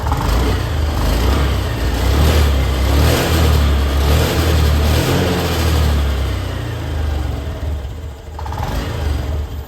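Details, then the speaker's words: Honda Activa BS6 scooter after fitting a spark plug (petrol filter already replaced): revs pick up smoothly and evenly without the previous jerking or stumbling under throttle; weak battery noted. "लेकिन अब देखिए क्या है कि उस problem को बिल्कुल भी एक बार भी नहीं करा। नहीं तो उस बार जब हम प्लग नहीं लगा था तो जब भी रेस लें तो आपको ये झटके लेते थे।"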